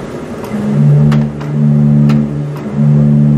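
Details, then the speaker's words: Church pipe organ pedal bottom D, after replacing its broken tracker part with new leather button and bushings; low notes speak steadily and hold without stutter, bottom D now sounds properly: normal pedal note after repair. "so now it works again okay so now we've fixed the pedal note"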